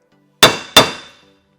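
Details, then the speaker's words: CR250 lower steering stem bearing being hammered on with a stem installer tool and adapter: sharp metallic blows change to a solid ring as the bearing bottoms out; bearing fully seated. "I've just about got the bearing seated and when I get to the bottom it'll make a different sound so at that point time to stop you can hear it"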